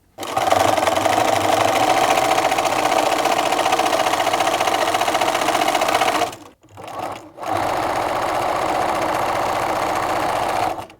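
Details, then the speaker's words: Bernina sewing machine after oiling a dry hook and hook race with one drop of sewing machine oil: fast, even stitching rhythm with a soft, smooth whir and no clatter; running quietly after oiling. "let's have a listen to the machine now see what that sounds like sounding a lot better there now"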